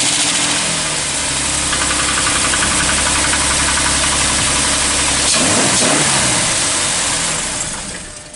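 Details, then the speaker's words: 2010 Jeep Wrangler 3.8L V6 with 60,000 miles, cold morning start: about two seconds of knocking and ticking at start-up. Owner suspects the oil filter's bleed-back valve and fixed it with a Mopar dealer filter. "when you start it in the morning it's got about a two second engine knock and it drove me nuts took me a long time to figure out how to fix it so we're going to show you how to fix it this is what the engine knock sounds like every morning"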